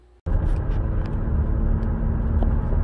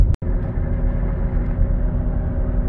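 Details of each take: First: 2016 Buick Enclave, 58,000 km, test drive after replacing a corroded front hub bearing: only even road rumble, with no hum or pitch change with speed. The earlier wheel bearing noise is gone. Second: 2016 Buick Enclave, 58,000 km, driving at 80 km/h (50 mph): a steady low front wheel bearing hum, louder turning left and quieter turning right; the hub bearing was found corroded into the aluminum knuckle.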